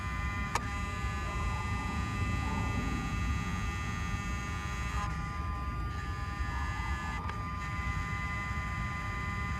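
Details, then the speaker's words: Mercedes 600SL, ignition on after changing throttle bodies and E-gas module: quiet electric hum with tones shifting as throttles close to learn their stops; normal self-learning. "as you heard I don't know if camera picked it up but there was this change in tone of throttle bodies you can actually hear it how they kind of they they basically closed down all the way to learn their stops"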